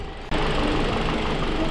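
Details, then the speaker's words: Toyota Altis that had heavy engine vibration and misfire, after new ignition coils, fuel filter replacement and a coolant flush: the engine settles into a quiet, smooth idle with a soft even hum and no knocks or misses; normal idle. "napakatahimik mga boss"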